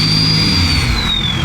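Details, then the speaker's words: Ford 6.7L Powerstroke diesel just fitted with a KC stage 2 turbo and new tune, first start and revving: clear high whistle over the diesel rumble, sliding down in pitch as revs fall; healthy turbo spool. "Dude, I feel like I'm literally like a kid at a candy store right now with how good this sounds."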